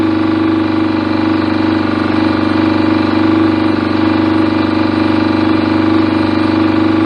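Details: BSA A50 Royal Star twin, bought as a non-runner, first running after restoration with pattern straight-through exhaust pipes: steady, even idle with a loud open-pipe drone; owner unsure whether the air lever is fully off. Normal idle.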